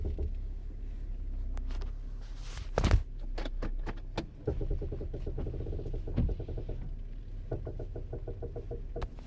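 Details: 2006 Toyota Camry LE, 16,500 miles: sharp, hollow clunks over low road rumble, coming irregularly when steering and over bumps, suspension clunk.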